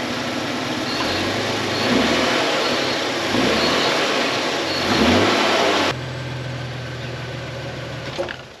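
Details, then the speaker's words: 30-year-old Ford Falcon revived after three years in a paddock. Several clean revs, then a steady, even idle with no misses or knocks. Normal running; an earlier exhaust note was only a hole in the muffler. "Nope. Just a hole in the muffler. That is as smooth as silk now."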